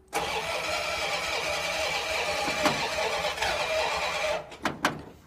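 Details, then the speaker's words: 1935 Ford truck, previously locked engine, being revived: about four seconds of steady cranking with a few weak coughs and no catch; flooded from a stuck carburetor float, vacuum leak also found. "somewhere else i was flooding sure so yeah the float stuck in it for sure it's probably going to end up having to pull this carburetor apart"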